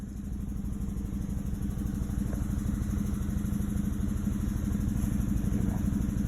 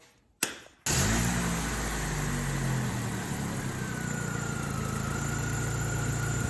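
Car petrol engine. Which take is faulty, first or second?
first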